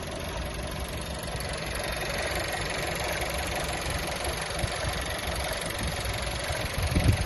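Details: 2018 VW Touran 1.4 TSI with DSG, engine noise at idle: steady dull rumble with a faint, uneven rattling tick underneath; source unclear.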